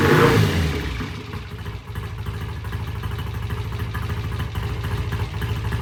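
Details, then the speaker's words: 1968 BSA A65, cold start after sitting since the previous day, with a heavy tickle on both sides and a little throttle: it catches after a brief cough, then settles to a steady, even low thump at idle with no knocks or misses. Healthy. "all right that thing sounds good uh Kevin's going to take it outside and go up and down about a mile and a half in our our local area of pest rrive"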